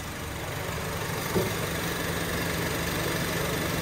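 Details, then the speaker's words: 2007 Honda Civic (8th gen), after swapping in a borrowed AC switch, AC switched on: steady even idle with low hum, compressor engaged and running normally, no knocks or squeals. "Oh yeah, that is on. It's running."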